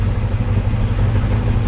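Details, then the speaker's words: Truck engine stored for years, running on at least three-year-old gas, brought up to temperature with good oil pressure and charging after work: deep, steady, smooth warm idle rumble with no misses or knocks; running nicely, normal. "well I put a little more time into it and it's running nice now so uh let's have a listen to the engine here I've always like this motor just tons of power"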